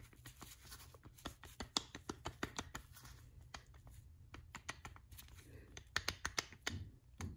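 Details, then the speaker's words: 1992 GMC Suburban: loose, irregular clicks and clacks as the removed old idler arm is wiggled, showing play in its worn joint, likely half of the steering slop. "That's probably half of my steering slop right there."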